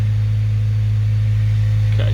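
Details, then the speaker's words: Honda Civic EP3 Type R (2001–2005), K20A2 engine, just after an oil change and oil refill, started in neutral: steady, even four-cylinder idle with no ticking or rattles; sounds healthy before a leak check. "Probably good practice now while it's running. Sounds good."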